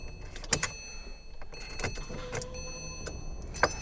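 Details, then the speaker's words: Porsche 911 Turbo 997.2 9A1 engine after rebuild, fuel lines empty and high-pressure pump unprimed: faint steady pump hum with a few clicks as the key is cycled on and off; normal fuel pump priming before first crank. "I'm just gonna turn on and I'll turn on and turn off the key a few times you hear the fuel pressure"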